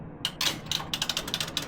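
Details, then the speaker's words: Laundromat washing machine started with the door latched; a rapid burst of bright, uneven ratcheting clicks, about four a second, with no motor underneath. The timer mechanism is slipping, and the timer box is suspected to have failed. "This is slipping. This thing is slipping. Yeah. Okay. So, there's definitely issues here."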